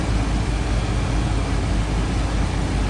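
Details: 1992 Ford E250 Econoline van, AC just converted from R12 to R134a with ester oil and recharged: steady, even engine and blower roar with no knocking, squeal or cycling. Vent air is 50–52°F against about 48 expected, and the AC is running normally.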